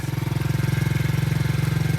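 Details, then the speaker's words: Cheap used quad just revived with a new battery, seat and headlights, started with a drill because the starter motor is bad. It runs fast and choppy with a buzzy rattle like loose hardware, smokes a little, and every bolt needs tightening. "it runs we need to tighten every bolt on this thing yeah you can hear it dude it runs so well it only smokes a little bit"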